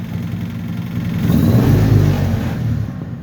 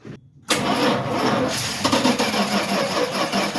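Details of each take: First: Old Dodge four-wheel-drive truck, Little Red Express clone, after revival work: engine revs cleanly and settles without coughing or hesitation, running, driving and stopping fine. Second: Dodge truck (Little Red Express clone, 4WD) cranking: steady starter churning with no firing; cranks but won't start because fuel isn't reaching it, blocked fuel hose/line found.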